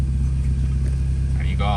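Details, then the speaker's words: Steady, even, smooth idle with no misses while still warming up, after cleaning dirty throttle body; idle rose from about 500–600 rpm to about 1,000, expected to settle near 800–900 rpm when warm. "หลังจากที่ทำการล้างลิ้นแล้วเรียบร้อยนะครับรอบเครื่องก็ขึ้นมาอีกประมาณ1,000นะครับแต่ว่าอันนี้ก็คือยังวอร์มเครื่องอยู่นะครับ"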